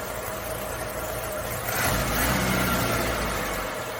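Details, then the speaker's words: Carbureted Suzuki Samurai (SJ410/SJ413) after troubleshooting, in cooler evening air: after a couple of pedal pumps it catches and settles into a steady, even idle with a slight mid-clip rev lift and no misfire. Normal idle. "okay here goes nothing couple pumps ready she runs"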